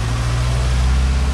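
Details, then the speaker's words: Nissan 240SX first start after draining the old fuel tank and adding fresh gas, air bubbles in the fuel rail: deep, steady idle hum with an even pulse, no stumbling or shaking; idling smoothly. "Starts up pretty quick. No, it has air bubbles in that fuel rail. It's idling amazing. It's not shaking."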